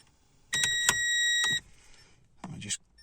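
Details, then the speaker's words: Renault Clio III (2006–2012) bladed key programmer in add-key mode: one blue beep, then sharp high chirps about once per second for roughly 30 seconds while keys are added. "1 blue beep for add key mode. There we go. Hear the little beeping."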